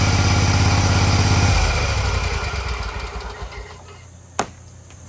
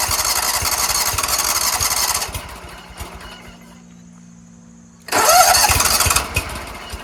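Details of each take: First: Scag Tiger Cub 48" commercial zero-turn mower engine after the start/stall repair, with oil seen in the air intake and possibly replaced: crisp, even running, then a clean shutdown as it winds down. Normal running. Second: Scag Tiger Cub 48-inch zero-turn mower, cranked on a 6000 A jump starter with seat springs held down: fires, runs roughly a few seconds, then dies repeatedly. Traced to a disconnected choke flap linkage on the carburetor.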